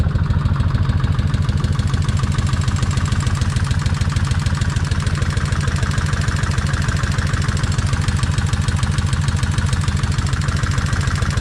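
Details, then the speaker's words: Kawasaki Vulcan 1600 V-twin at idle after the owner drilled the rocker oil bolt through to increase oil flow to the rocker arms: steady light ticking about three a second over a loping idle; still tapping, front cylinder quieter than rear, cause unconfirmed. "It's still tapping. Okay, the front is not tapping as loud as the rear."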